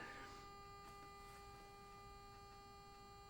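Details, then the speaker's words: Kawasaki Ninja ZX-10R wrecked-bike rebuild, ignition switched on with engine not running and no dash lights: a quiet steady high-pitched electrical hum, source unclear, possibly a pump or relay buzzing; owner curious what the noise is. "that why is there a noise okay well at least it turns on okay so that's awesome"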